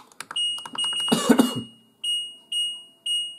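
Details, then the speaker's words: New washer dryer's control panel, up to 1400 rpm spin, setting a time delay of up to 19 hours: clear, high, short key beeps about every half second as buttons are pressed. Normal control panel beep. "i love that beat they have"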